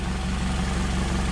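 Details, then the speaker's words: Nissan Altima with P0420 code, loud with exhaust entering the cabin in winter after muffler and resonator replaced: loud raspy idle with a fast even puffing pulse; the catalytic converter was cracked, causing an exhaust leak. "but yeah you can see that was cracked whole thing I just that's why I was so loud and getting exhaust inside the the cabin"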